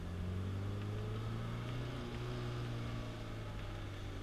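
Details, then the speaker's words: Alfa Romeo with 39,000 miles downshifting while driving: steady low engine drone dropping smoothly in pitch as it comes down a gear, no grinding or crunch; manual gearbox shifts cleanly. "I'll kind of drop it down a second so you can hear no grinding"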